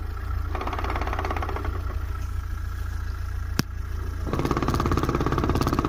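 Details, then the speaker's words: VAZ-2107 idling with an uneven clatter about three knocks per second from the gearbox; noise disappears when the clutch is pressed. "короче какая-то вот шляпа появилась коробки сцепление выжимает пропадает это слышно прям"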